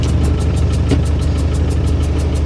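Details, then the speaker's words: Roughly 35-year-old Land Rover Defender 110 with a 200Tdi diesel, newly running after a long non-running spell and leaking oil, on its first short drive: low clatter with an uneven, lumpy pulsing beat; it runs rough, cause not yet clear. "that doesn't sound good I think I might have bought an absolute lemon here"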